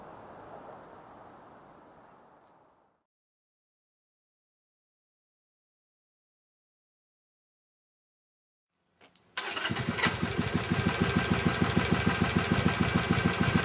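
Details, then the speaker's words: 2006 Harley Sportster 883 converted to 1200 with new cams, more restrictive carburetor jet, Screaming Eagle exhaust and intake: fires after silence into even, loping, tame idle with steady light tick; normal idle. "can hear, the idle's pretty tame. I barely raised my voice."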